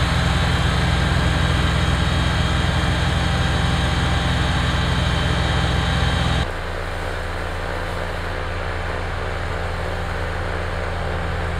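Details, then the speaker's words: Kubota BX diesel tractor after fixing cold-weather fuel starvation (suspected gelled fuel): deep, even diesel thrum steady under load, then settling lower with no misses or knocks; running normally. "yay jack so everything's working fine now"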